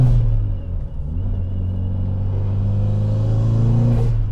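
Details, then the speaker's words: Mitsubishi Evolution IX (Evo 9) that normally hunts and nearly stalls at cold idle with hesitant fueling; after the fix, cold idle with the temperature gauge just registering is a steady, even low rumble with no stumbles; normal cold idle. "idling perfectly now we're barely barely just coming up on the thermostat gauge so it just registering cold now still"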